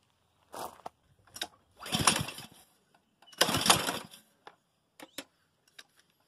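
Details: Honda GCV190 pressure washer engine, carburetor dripping fuel: two recoil pulls, each a short burst of cranking, but it never catches; no-start, carburetor suspected, not confirmed.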